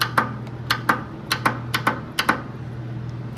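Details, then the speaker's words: Lawn mower that will not crank: the starter solenoid gives sharp dry clicks a couple of times per second but the starter never engages; the owner suspects a wiring break and plans to replace the solenoid. "so the solenoid is right here if I try to start it we're probably going to hear a clicking sound right in there"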